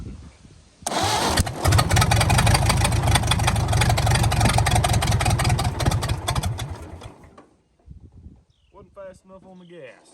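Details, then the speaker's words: 1929 Ford Model A four-cylinder, abandoned 75+ years, running on gasoline: fires straight into a loud, steady high-rev roar that never drops to idle; wound wide open, likely by the carburetor throttle linkage, which was then fixed. "gas well she runs but she's wound wide open here let's uh let's fix that thinkig our carburetor linkage is a little"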